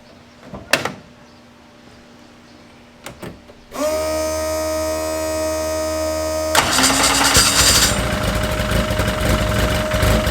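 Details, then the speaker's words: Freshly built car engine being heat-cycled to burp air from the coolant, water pump on, at about 110 degrees: cranks and catches, then a steady, even idle with a firm low drone and no knocks or misses; sounds healthy. "so now I'm just gonna heat cycle it out here and you guys are gonna hear it on let's kick ass"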